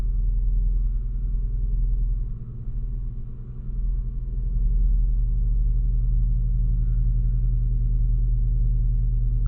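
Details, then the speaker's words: Ford Focus engine idling right after a restart that showed a transmission malfunction warning: deep rumble with a steady pulsing beat and a sag, plus slight car vibration. This is a new noise, and a timing chain is suspected but not confirmed. "i can hear something from the engine it doesn't sound right it didn't have this sound this noise before it sounds like um like a timing chain and it vibrates a little bit"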